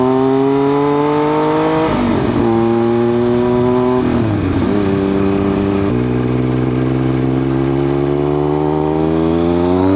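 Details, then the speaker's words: 2000 Triumph Daytona 955i with Power Commander, fresh fuel, riding in third gear at low rpm: note pulls then stumbles and breaks up under throttle; sputters at low revs, cause unclear, map suspected. "Like I'm in third gear. See? Oh, I give it throttle. It sputters."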